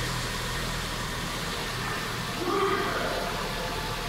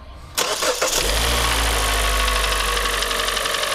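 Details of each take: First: Kia Cerato G4NA 2.0 petrol engine, under 100,000 km, which had knocked hard when cold with scored cylinders 2 and 4, at first start after rebuild with all 16 hydraulic lifters replaced: steady, even idle, light clatter, no knock. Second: Kia Cerato G4NA 2.0 petrol engine, under 100,000 km, cold start: hard, rapid knock; endoscope inspection found heavy scoring on cylinders two and four, and an engine overhaul is likely.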